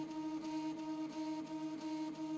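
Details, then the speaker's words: Prusa i3 MK2 3D printer after axis squaring work; steady stepper motor tones with a soft pulse about every third of a second under faint music during the self-test, everything normal. "but here we're starting our self test and it looks like uh it looks like everything's all"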